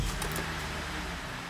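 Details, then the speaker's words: 2008 GMC Acadia 3.6L with check engine light for lean codes P0171/P0174 and P0300: engine catches and settles into a steady, even low rumble at idle with no stumble or hiss; normal idle. "so as you can hear the engine is running"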